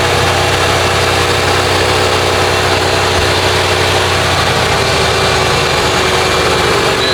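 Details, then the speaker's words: Lincoln Town Car, OBD1, after replacing idle control valve (idle was about 2000 rpm before): engine shuts off and restarts, then settles to smooth, even low idle around 800 rpm with steady rumble, no hunting or surging. "So see that was way too high before was like a two grand probably like at 800."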